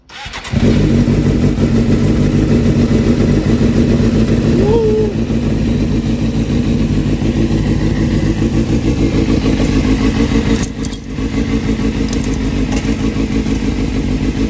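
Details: Suzuki GSX-R 750 after repair with new chain link, oil filter and coolant, first start: catches and settles into steady even idle with throttle blips, no knocking or rattles; runs normally.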